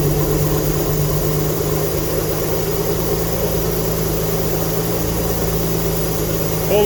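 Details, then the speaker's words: GTV engine, first start after 18 years, still awaiting a new exhaust gasket: steady, even idle with a low chuffing puff, likely exhaust escaping at the unsealed joint; smoke expected from burning oil. "I am still waiting on a new exhaust gasket, so if by any chance it does start, you will hear the exhaust blowing."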